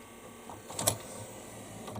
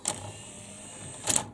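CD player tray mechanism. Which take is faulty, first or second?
first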